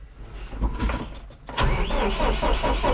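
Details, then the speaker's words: Zetor Proxima CL 100 diesel tractor at about 3000 engine hours, shut off after mixing with the feed wagon and wouldn't restart 10 minutes later; error codes shown, history of AdBlue faults: heavy rhythmic cranking, never starts, cause unconfirmed. "ma chęci ale coś blokuje takie kody"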